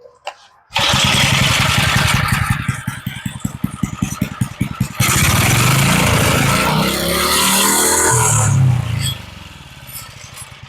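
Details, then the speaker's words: Old edger with replacement engine and kill switch fitted, started on full choke: catches on the pull and settles to a steady, smooth, very low idle; starts and runs well. "This sounds pretty good. I love it when something will idle that low. Well, she starts good, she runs good."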